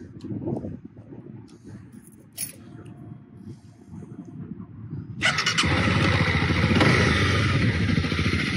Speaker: I don't know if this is Placebo or not but it it sounds better I think it sounds like it's running better